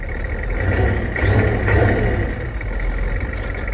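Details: 1986 Ford F250 6.9 turbo diesel, just started after water-contaminated oil was changed; no coolant, slightly smoky. A deep, even diesel rumble swells briefly with a light rev and settles back smoothly; normal idle.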